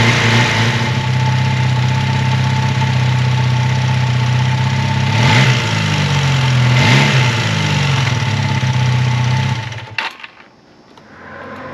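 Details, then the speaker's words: 1980 Honda CB400 T Hawk twin after restoration (carbs rebuilt, oil changed), first run on choke with fuel bottle; steady even idle with smooth throttle blips, no knocks or rattles, then shut off: healthy. "it's so awesome to hear this bike run I don't hear any bad noises with it it sounds like it's running nicely"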